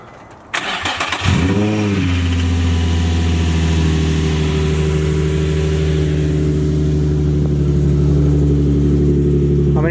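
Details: Nissan 350Z with about 200,744 miles, coolant a little low and battery rusty: brief crank, quick catch and short rev flare, then a smooth, steady idle. A normal, healthy start.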